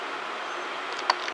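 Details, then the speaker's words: Chevy S10 4.3 V6 running smoothly with a steady, even note and no popping after replacing a distributor cap that was shorting internally and causing a no-start. "hey little update we got it running turned out to be the distributor cap put another one on it and it's drying just like it should amazing"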